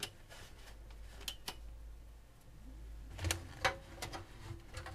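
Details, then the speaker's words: Vintage PC with ABIT AX8 motherboard, 120 GB hard drive, floppy and CD-ROM: at power-on the debug card blinks for a second with faint irregular clicking and no fan spin-up; owner guesses a faulty power supply can't deliver enough power to start booting. "it blinks for a second and I can hear some clicking so seems like the power supply can't get enough power does not give enough power so I'm guessing the power supply is faulty and it can't give enough power to start the boot sequence"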